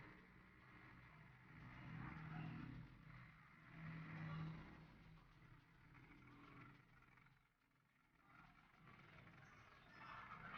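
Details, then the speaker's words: Car engine just after a piston and piston ring reinstall, radiator refilled, revved: an even note that swells and eases with the throttle, with no knock or tapping. It sounds normal again compared with before the repair. "Kan suaranya sudah berubah ya teman-teman, tidak seperti sebelumnya. Suaranya sudah normal lagi."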